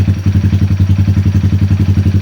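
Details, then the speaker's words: 2020 Honda Grom 125cc after ECU and TPS resets and 5-minute relearn, fixing rough idle and misfire: even single-cylinder thump about ten beats a second, no misses; steady healthy idle around 1200 rpm. "It will be running spot on. RPMs are quite nice and steady now."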